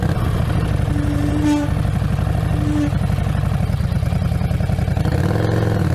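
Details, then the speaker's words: Harley-Davidson Street Rod 750 while riding: a steady moaning tone rises over engine and road noise, then fades. Howling rear brake, a known glitch on this bike. "It had a howling noise to it, which I experienced, and I will show you a demo video of that noise."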